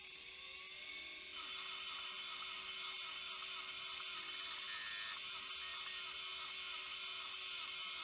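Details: Opened failed hard drive with damaged platter and gooey degraded plastic: thin high buzzing with fast irregular ticking about three a second, repeating read retries; owner suspects platter damage harmed the head so it cannot read.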